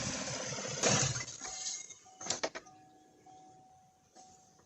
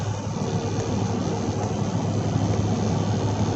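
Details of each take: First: 2016 Chevy Silverado 1500 5.3 V8 with code P0300, spark tester on cylinder 7: cranks, catches and settles into an uneven idle with a steady stumble; no spark on that cylinder, still none after clearing codes, coil or coil control suspected. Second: 2016 Chevy Silverado 5.3 direct-injected V8 after a P0300 misfire fix (a spark plug with no spark): cruising near 70 mph, steady smooth engine drone with no stumble, road and wind noise; running normally.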